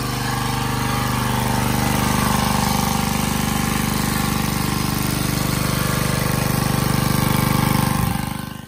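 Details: Generac 79cc gas water pump, months after repair (suspected overly strong cam spring), pumping out a basement: even, steady single-cylinder thrum at constant speed, no knocks or misses, then winds down; normal running.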